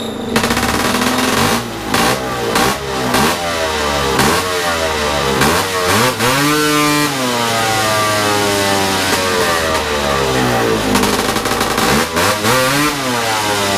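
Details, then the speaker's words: Big-bore stroker 277 two-stroke, out of the snowmobile, first full-throttle runs in a cold garage: blips and runs that climb then plateau at about 8800 rpm, roughly 700 short for the pipe; owner suspects clutch setup needs changing. "but that sounded pretty promising I I think I need to change the clutch setup a little bit because I don't think it's running at right rpm yet"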